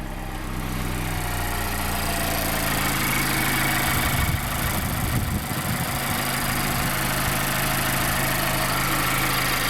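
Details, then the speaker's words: 2016 Mazda MX-5 (ND) salvage car: fires right up and starts quickly, smooth even idle with a steady low hum and no knocks, ticks or misses; no engine warning lights; engine healthy. "like i said fires right up start real quick sounds like what you would expect it to sound like um no engine warning lights"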